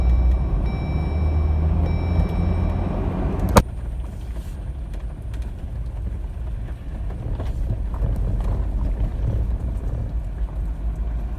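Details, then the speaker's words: 2018 Jeep Wrangler with suspension lift, test drive over bumpy road after tightening sway bar link for passenger-side front pop/thump complaint; only tyre and road rumble, no pops or clunks, front suspension quiet. "yeah it sounded very good through the bumps and the turnaround back there"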